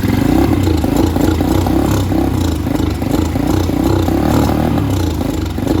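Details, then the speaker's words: Venom Shop X20 with Nibbi carburetor: small single sputters and surges, revs hunting and sagging off throttle like it wants to stall; can't hold revs because the carb and jet are really dirty, to be cleaned. "See, I can't keep a proper rev. And if I let go of the handle, it just wants to die. And that's because the carb is and the jet is really dirty."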